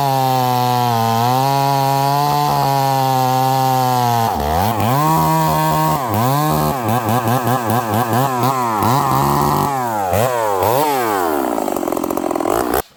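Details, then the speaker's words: Stihl 038 Magnum chainsaw, long parked, with fitted Stihl clutch springs and new sharp 3/8 Oregon chain, first cut in wood: drones rich, smoky and blubbery, then bogs and surges under load, never pulling cleanly. Rich running, lacking power under load. "It sounds good when I bench test it, but it's got no pull, I will say that, which is weird, in the wood."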